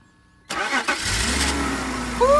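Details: BMW 330i, 18 years old, first start after sitting nine years, with new battery, fuel pump and fuel sending unit. A brief crank, then it catches cleanly into a steady, even idle.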